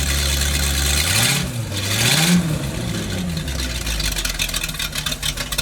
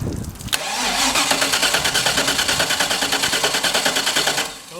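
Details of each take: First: Boat motor on a temporary fuel line through a water-fuel separator, carburetor primed, catches and revs up then drops to a slightly uneven idle; starts easily and keeps running normally. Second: Boat engine (260 hp) cranks on the boat's battery wired straight to the starter, steady three pulses a second for about four seconds, but never fires. Cause suspected, not confirmed.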